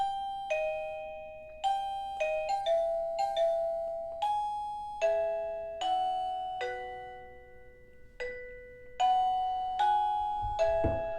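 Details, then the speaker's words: ERA-VPRX doorbell receiver playing its four-note Westminster chime melody while being set for zone three; clear ding-dong notes in steady phrases, working normally. "that's the four note Westminster Chime and now I need to trigger so that it can program to zone three"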